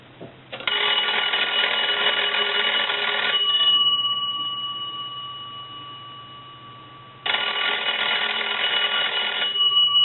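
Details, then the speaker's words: Dean Electric Company wood wall telephone, after repair and rewiring for a modern modular line; two strong bursts of rapid, even bell ringing about three seconds each with a pause between, the ringer striking cleanly. "so now that everything's been taken care of and repaired and converted what we want to do is we want to go ahead and ring this telephone"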